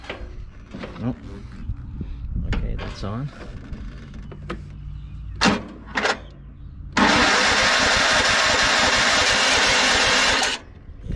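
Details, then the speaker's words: Yardsman lawn tractor, 15.5 hp Tecumseh with plastic-bowl carburetor, after carb rebuild and anti-kickback solenoid refit: hesitant, sluggish labouring cranking that never catches; battery very weak, no jumper used. "oh I haven't put a bottom a jumper on it cuz it's bad if he's really weak"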